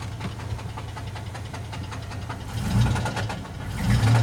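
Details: 1998 GMC Jimmy 4.3 Vortec V6: heavy, evenly spaced knock at idle, rising with revs; rod knock, engine later replaced with another 4.3.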